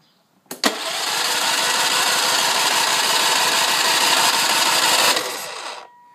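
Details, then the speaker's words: Ransomes 3500 with choke full then half, fuel primed and tank full. Starter spins the engine at about four beats a second for roughly five seconds with one sputter, never catching. Cranks, no start; an ongoing problem for almost a year. "give it a couple primes anyway that's it no start"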